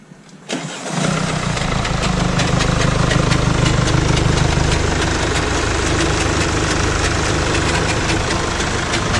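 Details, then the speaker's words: 2016 Mercedes E220d W213, OM654 diesel, 170,000 miles: catches after a short crank and idles with a steady clatter of light metallic ticks; diagnosed timing chain on its way out, likely stretched with broken guides. "As you can hear, there are horrible noises coming from our diagnosis. We found out that the timing chain is gone. Not gone, but on its way out."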